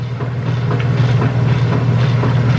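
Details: Heavy-duty Whirlpool washer after replacing broken motor coupler assembly: steady low motor hum with rhythmic swishing of wash load, no grinding or clunking; agitator working normally after repair.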